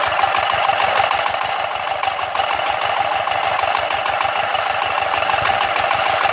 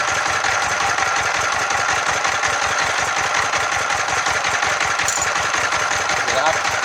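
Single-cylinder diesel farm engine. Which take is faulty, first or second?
second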